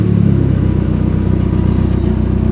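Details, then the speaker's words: 2004 Dodge Neon SRT4, started with clutch pressed: steady even low rumble with smooth firing, no knocks or ticks; sounds good, fuel trims fine at 14.7, boost somewhat low. "put our little footsie down there on the clutch oh she sounds good fuel trims all right 14.7 boost is low"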